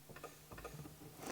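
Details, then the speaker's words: Horn relay clicking in quick irregular bunches as the horn slip ring intermittently contacts a loose screw in the steering column; intermittent short. "the other one is this slippering for the horn has been making contact with this screw right here I can see the problem point you can hear the relay"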